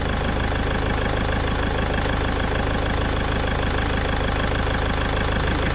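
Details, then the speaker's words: VW Caddy diesel at idle after injector removal and repair: steady, even idle clatter with constant rhythm, no misses or knocks; idling healthily. "As you can see, it's running lovely."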